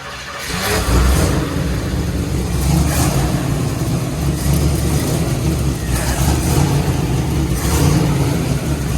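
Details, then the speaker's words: 1961 Corvette with hopped-up motor, first start in decades, fuel filter looks poor: catches after cranking, runs rough with uneven surging blips; bad old gas still in it, pressure gauge worn out. "Pressure gauge is worn out. got some bad gas in her still."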